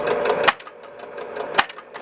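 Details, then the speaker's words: 1966 Williams Full House electromechanical pinball: sharp kickout solenoid clacks about a second apart with quiet between. It fires on its own repeatedly because the kickout switch was shorted through metal to its bottom half. "what should normally happen is if the ball is here switch closes relay fires since that was shorted out it was looking like this"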